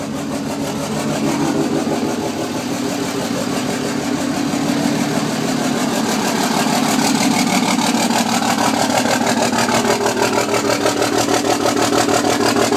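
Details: 2006 Cummins diesel idling with an uneven, lumpy beat of about three pulses a second and a wavering note; rough idle right after start, with one or more bad injectors.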